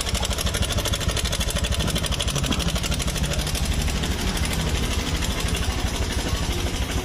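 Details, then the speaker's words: 2017–2018 Honda Scoopy scooter idling with noisy, rough engine: busy uneven rattle over fast low thump; owner suspected CVT area, but loose cam chain suspected instead, not confirmed. "ini kalau suaranya seperti ini ini ada lantunan suaraak Cak crakakakakak ya Jadi suarnya tidak e tidak tidak bulat melainkan dia seperti rantai keteng kendor ya"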